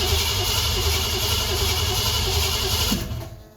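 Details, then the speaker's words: EFI vehicle sitting unused since about May or June, battery voltage a little low: starter turns over slowly, about four beats a second, for three seconds without catching; owner suspects too-low voltage; slow crank. "I don't want to crank it too much this EFI is kind of sensitive let's give it another maybe it it might have too low voltage to start"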